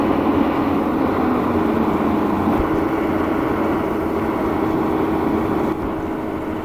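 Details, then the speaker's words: Real BR Class 74 electro-diesel, 1977 recording: loco pulling away on diesel, steady heavy drone under load with even turbocharger hum, no knocks. Normal diesel pull-away. "From 1.08, you hear the loco pulling away from diesel, a turbocharger making a good sound."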